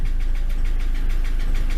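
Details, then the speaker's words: Ford Transit MK7 2.4 RWD diesel at tick over: loud idle with a heavy, rapid, regular knock riding on the low rumble. The owner suspects the dual-mass flywheel; cause not confirmed, still investigating. "now as you can probably guess well by the noise it's making it's quite loud on tick over and there's a big knocking noise coming from the engine"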